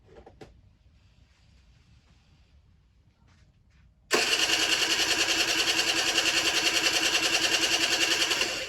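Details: Generic Trigger SM 50cc two-stroke running after clearing blocked main and pilot jets and an intake manifold air leak, with the slide needle in the middle position, air screw half a turn out and a stiff temporary throttle cable; crisp, steady idle buzz.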